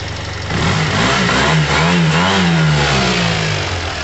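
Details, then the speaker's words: Yamaha TMAX 500 twin-carb scooter after carburettor removal and refit, choke coming off: engine blips up from idle and settles back, running smooth and even with no misfire or knock. "let the choke come off and then we'll set the idle all right guys have a listen it's running smooth as"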